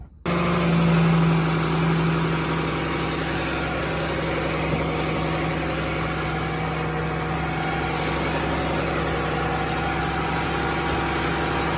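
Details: 2011 Chrysler Town and Country 3.6L V6, just after replacing an early-opening thermostat (check engine light), radiator topped off and bleeding air bubbles: steady even idle, smooth low hum, no knocks, ticks or hunting; normal idle.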